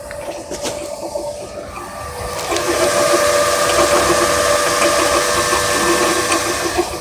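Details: 2003 Saturn Vue 3.0 AWD engine running with a steady whirring whine and quick ticking about three times a second; a bad water pump is suspected, with timing belt replacement planned.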